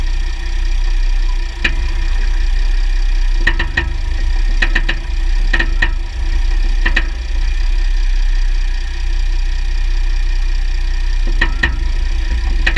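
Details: 2009 Jeep Grand Cherokee WK 3.0 CRD diesel, Quadra-Trac II, GoPro on skid plate: sharp clicks in pairs and small irregular clusters over a low engine drone as drivetrain loads and unloads; driveshafts test OK, front diff bushes and transfer case oil done; cause not found.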